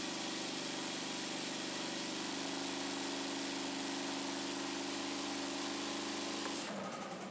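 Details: Scag Turf Tiger 61 with a Kohler CH25S engine that shuts off when the PTO/blades engage, started after reassembly: lumpy, uneven idle with a dead-cylinder stumble before it quits. Bad ignition coil, later replaced.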